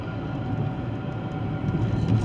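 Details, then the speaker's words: 2013 GMC Terrain driving: steady heavy roaring with a faint whine from the front; loading and unloading the wheels doesn't change it, unlike a wheel bearing; traced with chassis ears to the transfer case. "it has a roaring noise I don't know if you can hear it or not and I'm a whining roaring type noise and I can load and unload the wheels and it doesn't change it one bit"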